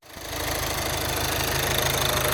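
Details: VW Jetta petrol after replacing seized alternator pulley and broken belt tensioner: engine idles steadily with even low pulse and light hiss, no squeal or rattle; normal idle.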